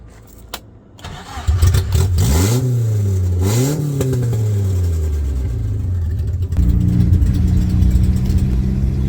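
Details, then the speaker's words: Car with a snapped exhaust manifold, the exhaust having dragged on the road: the engine fires up, then a deep, blaring roar swells and falls with each rev, far too loud and raw, from the broken manifold awaiting replacement. "Driving on the motorway, things got very loud. I must have got pretty sparky because the car behind me really backed off because my manifold had snapped and the exhaust was dragging on the floor."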